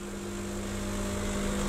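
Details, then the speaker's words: Milesto Eliane espresso machine with vibratory pump, extended to 30 seconds with too-fine or too-densely tamped coffee: loud unbroken low buzz holding one pitch, swelling slightly; pump labouring against a blocked basket, deliberately driven toward overheat. "tapi ini akan kejadian suatu saat ketika kalian memang melakukan browsing dengan bubuk yang terlalu halus atau terlalu padat dioper ekstrak"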